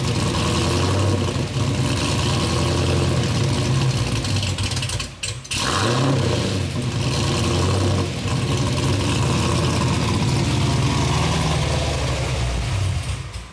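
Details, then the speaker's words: Cadillac CTS-V V8 first start with BTR Stage 3 cam and new valve springs, no tune yet, heard from behind: loud lumpy idle hunting up and down, nearly dying, won't settle; idle surge from aggressive cam without tune. "It doesn't idle, obviously, like I said before, it just idle surges."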